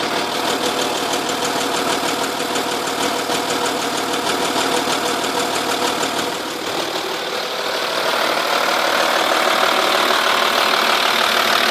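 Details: 2.5 V6 TDI idling with a steady sharp tick about three to four beats a second, loudest at the car's sides and from under the rear passenger side of the engine; cams previously replaced; owner suspected exhaust gasket but found nothing.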